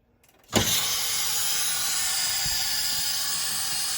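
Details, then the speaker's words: Dishwasher being removed and winterized: compressed air from a small compressor blown through the inlet solenoid valve while it opens, a sudden steady loud hiss, to clear water so the valve doesn't freeze and get ruined. "we're going to blow air into this thing when the solenoid valve opens because we want that not to freeze up in the cold"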